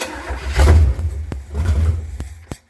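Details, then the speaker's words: Junkyard Chevy Nova V8 on brake-cleaner starting spray: two short throaty bursts of firing that die straight away; no fuel reaching the carburetor, gas about to be poured in so it can draw fuel up. "let's dump some gas into this thing and see if we can uh get it to suck its way up to the carburetor"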